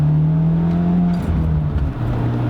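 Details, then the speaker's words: Stage 2 B7 Audi A4 on a Boost Dynamics ECU tune with 2-step and pops, pinned in third gear: revs pull then flatten and hang, won't exceed 4,000 rpm as the car drops into limp mode. "yep and there it goes so my foot is on the floor i don't know if you can see that but uh that's as high as it'll go um it's in limp mode right now"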